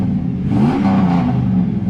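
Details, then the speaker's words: 2003 Dodge Ram Hemi V8, son reported odd running: deep rumble swells with throttle blips and settles back smoothly, no knocks or rattles, sounds fantastic; normal engine revving. "so yeah that'll be that guys I have to say man this thing sounds fantastic"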